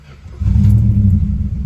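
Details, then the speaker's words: 1963 Chrysler 300J, 413 RB V8 with cross-ram induction, carbs not yet gone through, timing unchecked: brief crank, catches at once into a deep steady rumble; clean start, idle a little under the specified 900 rpm. "That was pretty good."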